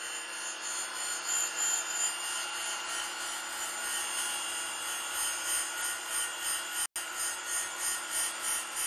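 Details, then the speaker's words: Radiac 100-grit wheel grinding a 3/4-inch pin sticking out 1.8 inches without stabilization: high hissing grind that swells and fades about three times a second as the pin runs out, giving uneven wheel contact. "I can hear now where it's running out a little bit on the front of chat and heavier on the spot"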